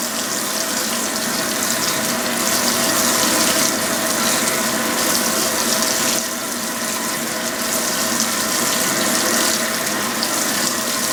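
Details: Restored Fisher & Paykel washing machine on a heavy-duty cycle with warm water, high water level and a large load: a steady, unbroken rush of water filling the tub with no knocks or grinding, a normal fill.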